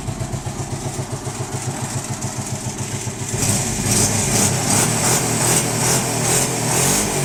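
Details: Arctic Cat 650 V2 engine: uneven lumpy pulses about two per second at idle, then a loud rhythmic hiss when revved; loud abnormal noise from the engine, cause unknown.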